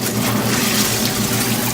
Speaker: this is spin cycle no that's spinning watch this oh yeah its spin